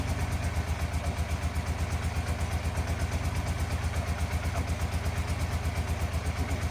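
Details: 1987 Yamaha FZR 1000 Genesis with cleaned carbs, old fuel still in lines, not yet warmed up, weak battery: steady slow loping idle about three beats a second; owner feels idle needs raising.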